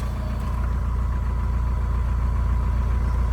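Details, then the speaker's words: VW ALH engine, A/C compressor clutch pulley: a constant thin whine sits high above the idle with the compressor on. It persists after greasing. Worn clutch pulley bearing (part 35BD219DUK), before replacement. "you hear the noise and uh it come from the compressor I put grease in there so I thought it would go away"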